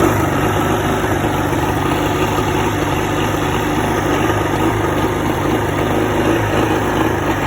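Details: 1986 Evinrude 50 hp two-stroke outboard idling roughly, low putter stumbling now and then as cylinders miss; misfire at idle with shaky idle, also shown when given a little throttle.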